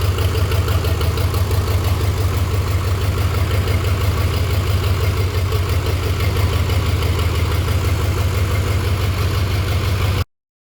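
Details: 6.0 Powerstroke diesel-swapped Mustang after the right cylinder head repair (it died after a 5300 rpm burnout), right up-pipe removed: a steady low diesel rumble at about three pulses a second, even and unbroken, with the engine firing cleanly and running smoothly.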